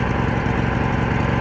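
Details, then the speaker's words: Lawn mower, small single-cylinder engine with a new carburetor and a gas leak, run on choke: steady high-pitched drone well above idle with no hunting. It is running too fast; the owner suspects the governor. "you see a problem is I have to choking because I'm pretty sure I think there's a problem with the governor or it's just running way too way too high"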